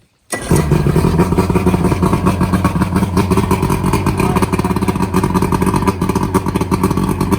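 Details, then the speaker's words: Boat outboard that was half-submerged when the boat sank, restarted after bad fuel was drained and it ran about a minute: fires up instantly and holds a steady, even idle with no sputter or hunting; normal starting and idle. "so everything's good."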